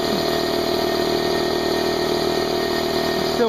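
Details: Brand-new Harbor Freight Central Pneumatic 68127 29-gallon 150 psi 2 hp dual-piston compressor as 10-minute unloaded break-in ends, tank drain open, still pretty cool; steady even pumping hum with light rapid patter, no knocks or squeals; normal running.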